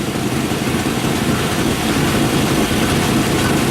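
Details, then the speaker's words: 1997 Suburban with a swapped-in 1999 5.7 V8, 118,000 miles, at idle: raspy, uneven exhaust puffing. The exhaust leak is at a bad catalytic converter; there is a small miss, possibly exhaust-related, and a new exhaust is ordered. "Well, there's two catalytic converters on this thing, and one of them is bad. That's where I hear the exhaust leak right now."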